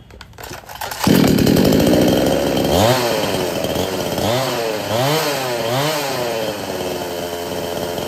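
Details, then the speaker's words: 58cc two-stroke chainsaw on 20 ml oil per 500 ml petrol: blips up but sags and dies when the throttle is pressed, won't pick up or take load; a weak spark plug is suspected, so a new plug will be tried. "यह जब machine start करते हैं accelerator press करते हैं तो machine अचानक से बंद हो जाता है पिकअप नहीं बनाता है"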